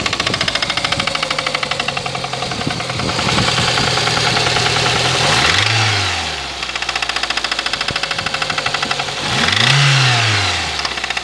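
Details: Engine knock on a Lada Kalina before repair: sharp regular internal knocking about three per second at idle, rising in rate and blending in as the engine is revved.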